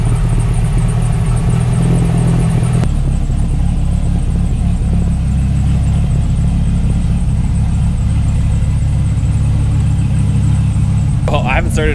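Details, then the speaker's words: Dodge Ram 1500 SRT-10 Viper V10 at idle; thin high chirping over the idle from the original accessory belt, new belt to be fitted. Worn accessory belt chirp. "one thing you guys probably can hear like the chirping birds under there this thing still has the original belt on it so the original accessory belts"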